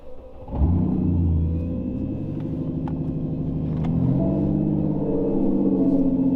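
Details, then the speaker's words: Ford Mustang S550 V6 with newly installed turbo kit, first start: engine catches and settles into fast, slightly hunting high idle rising near the end while trying to settle in. "Oh, she's alive. She is alive. Right now I think she's trying to settle in because she is revving up a little high."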